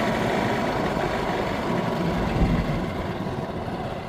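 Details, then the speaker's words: Old Yamaha golf cart engine, not run for about a year, still warming up. Idle surges and sags unevenly, kicking in and out with occasional misses; rough, surging running. "So I can hear the engine kind of kicking in kicking out here and there. Very surgy. It's just got to warm up."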